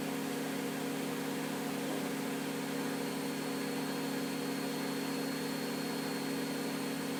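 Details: Miele W562 washing machine spinning at 1300 rpm in its final spin during an overdosed-detergent extreme suds test: steady, even high whir with smooth rush, no knocking or rumble; normal high-speed spin.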